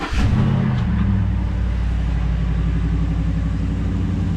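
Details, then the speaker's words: 2013 Ford F-150 Raptor 6.2 V8 with stock exhaust, start and idle: quick crank, deep even burble, mild quiet exhaust note; healthy. "mild, pretty mild. Stock exhaust. Definitely want to upgrade that exhaust one day."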